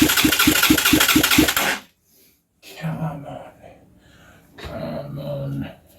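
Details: Huaniao HN125 Chinese motorcycle: quick, regular cranking pulses, about four a second, with a few coughs after easy start is sprayed into the carb and barrel, never catching, then silence; won't start.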